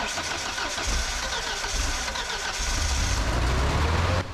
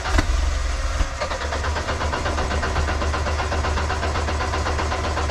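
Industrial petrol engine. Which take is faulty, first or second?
first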